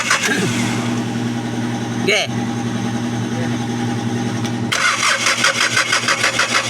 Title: D4cb crank no start injector problem